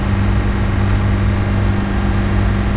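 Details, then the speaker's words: 2018 Nissan Qashqai J11 1.6 dCi 131 hp diesel during scanner-forced DPF regeneration; steady even hum, no hunting or knocks; raised idle during forced DPF regeneration. "Après environ 15 minutes les gars Voici ici le régime moteur a baissé maintenant il est au dessus de 2000 tr/min au lieu de 3000 qui étaient"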